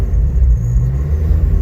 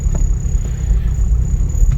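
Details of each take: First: Cold-start idle on a 1997 Honda Civic EJ8 with a built LSVTEC turbo engine on E85. A K-Tuned IACV relocation kit is remote-mounted because the Ultra Race manifold has no provision for one. Deep, lumpy, surging rumble as the idle hunts while cold; the car needs a retune. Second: 1997 Civic EJ8 with a built LSVTEC turbo on E85 and a remote-mounted K-Tuned IACV, warmed up to 178 degrees. Low, steady rumble as it idles on its own with foot off the gas, no hunting or misses. Normal warm idle, though a retune is still pending.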